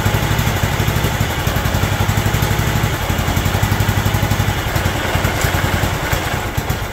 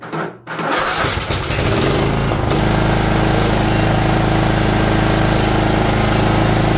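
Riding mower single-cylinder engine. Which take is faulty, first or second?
second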